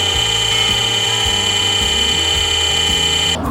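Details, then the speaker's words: Water pump: loud, shrill, steady whine over a rough low rumble with uneven thumps, from a worn bearing; the fix is replacing the bearing, since leaving it may ruin the whole pump. "2ลักษณะของลูกปืนมีปัญหาเสียงจะดังกาวมากปั๊มจะดังเสียงแปลกๆกว่าปกติ"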